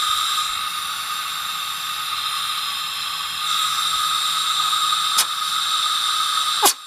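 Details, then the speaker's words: Tecumseh 10 HP engine, engine off, compressed air fed into the cylinder for a leak-down test; steady high airy hiss of escaping air, exhaust valve suspected not sealing. "i don't know if you can hear that but i think that exhaust valve is not sealing correctly"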